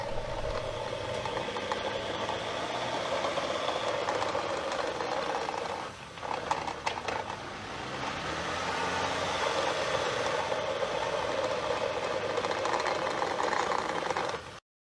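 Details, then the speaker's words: Underbody rattle while driving: loose, uneven rattle and rumble from underneath, steady with speed; the driveshaft is said to be making a lot of noise, cause not confirmed. "customers complaining about noise underneath the car the drive shaft is making a lot of"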